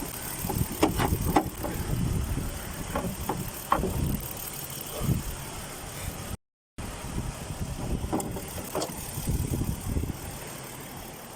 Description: Kia Mohave cylinder 5 misfire engine vibration. Rough idling